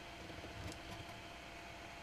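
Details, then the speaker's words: Vintage PC with Gigabyte M55S-DS2 motherboard, Athlon 64 X2 3600+, 400 W power supply, first power-on: quiet, even whir with no rattle or ticking as fans spin up right away; normal fan running. "let's go ahead and try to start it up let's see what happens and Spins right away"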